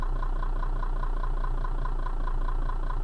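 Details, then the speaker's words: Toyota Camry 30, 2005, 333,000 km, running on LPG after switching from petrol at steady idle: fast, even ticking over the engine hum as gas injectors click loudly. "виключаю виключив дуже голосно чути форсунки"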